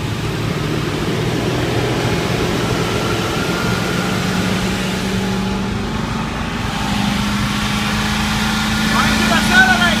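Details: 1995 Land Rover Defender 90, first start on ether with inertia switch unplugged and Mallory surge filter removed: engine catches, idles rough, then revs creep steadily upward without settling; throttle cable stuck open.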